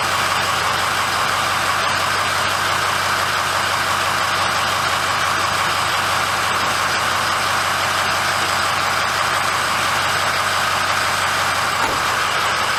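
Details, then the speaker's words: 2006 Ford F350 diesel idling after oil and fuel filter change and air bleeding: smooth even clatter, no stumbling or surging; normal idle. "okay so everything looks good uh she started right up"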